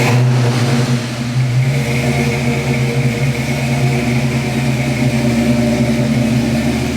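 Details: Custom-tuned Ford Fox-body Mustang that had idle swings, after the unplug-and-restart procedure: after a brief blip, the engine settles into a smooth, even low idle with no hunting. Normal idle.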